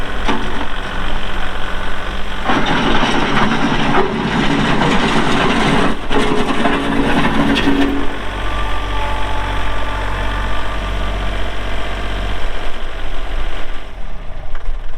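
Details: 2022 Kubota L3901 diesel tractor, 4WD, hydro transmission, LA525 loader, 219 hours: catches after a short crank and settles into a steady, even diesel chug with no knocks or misses; cranks up and runs good, normal running.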